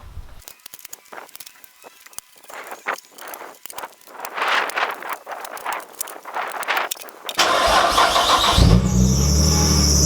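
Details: Nissan R33 with RB25, A/C deleted: after handling clatter the engine fires and a sharp high squeal starts right away; owner believes the alternator belt is slipping, and both the alternator and power steering belts are being changed.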